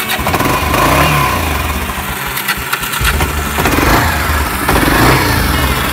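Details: Old ATV that sat in weeds 3 years, after new carburetor, spark plug, fuel filter, fuel valve, air filter, rectifier, oil, and fuel valve turned on: single-cylinder thumps at a fairly steady idle with choke off, no knocks or misses; normal.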